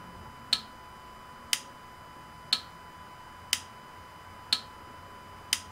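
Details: Citroën Berlingo 1.6 HDi (DV6 engine) after a glow-plug fault repair, glow plug relay tested via iCarsoft CR Pro, camera on the engine side: six sharp single clicks once a second, the relay now working and the test passing.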